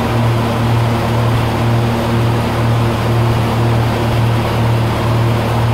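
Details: 1948 Lincoln SA-200 welder engine, revived with little work, now with a short stack with resonator pipe: a steady, soft, quiet low throb about twice a second with no rattles. Normal idle.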